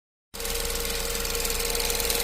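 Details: 2015 Ford Focus at idle: fast, even light ticking or clicking over the engine hum, staying constant; a top-end tick, cause not pinned down.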